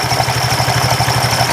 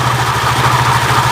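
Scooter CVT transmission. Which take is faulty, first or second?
first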